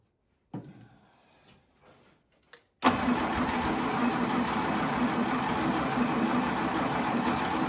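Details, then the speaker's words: 1952 International Harvester L112 barn-find truck engine, sprayed with extra gas, with spark confirmed at the plugs and a cold coil: after a few weak turns it cranks steadily and nearly catches but never idles on its own. "Starter doesn't like that. Come on. Really? It's so close."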